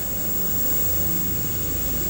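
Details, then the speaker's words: Sekai (Sky) electric fan motor, wired directly to mains while testing red, white and blue speed wires 1, 2, 3: steady, even low hum with faint high whine, no knocks or rattles; normal running. "Nah, itu speed kecepatan putarannya itu beda-beda, 1, 2, dan 3."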